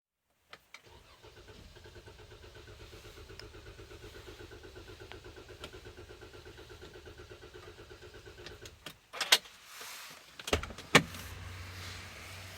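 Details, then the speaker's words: Jeep that would not start for over 20 minutes: steady starter cranking at a few beats per second for several seconds, engine never catches; brake pedal firm; cranks but won't fire, cause unclear. "Brakes gone firm. And it's not starting."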